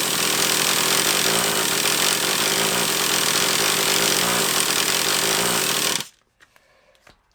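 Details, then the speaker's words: Traxxas Revo 3.3 nitro RC car engine, leak around the low-speed needle: shrill buzzy howl wavers unevenly for six seconds, then cuts out; erratic, off-tune running, a carb clean-out is suggested. "Joe I wonder if it might benefit from a bit of a carb clean-out it might benefit from a bit of a cup thing at Oregon because it seems a bit earache to me that only seems like to you love but to me it seems a bit erratic and off a turn"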